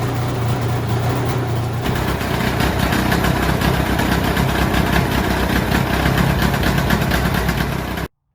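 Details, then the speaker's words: Polaris XC600 two-stroke snowmobile after new piston rings, first start after sitting, idling cold to break in rings, smoking heavily: runs but stumbles and wavers unevenly; rough idle, cause not confirmed. "So as you heard, it's running. It's not running well, but it's a start."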